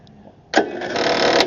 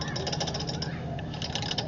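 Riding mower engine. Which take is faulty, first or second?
second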